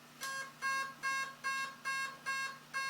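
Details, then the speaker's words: Bicycle BoosterPack motor controller powering up after throttle-button calibration: seven short, evenly spaced high beeps, about two per second, as it runs a motor check and spins the motor. A normal startup self-check. "that's what it does whatever you turn it on your normal circumstance is it kind of does a motor check and it kind of spins it"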